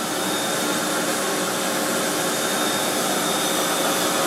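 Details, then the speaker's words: KAM KFHM 1000 fog and haze machine (1000 W), fan switched on and put on full, haze mode: loud, steady airy roar, constant pitch, no rattles or pulsing; quite loud but normal fan operation. "so yeah let's switch the fan on and we'll put the file on full and then we'll show it sort of on the hazer mode as you can probably hear it's quite loud with the fan"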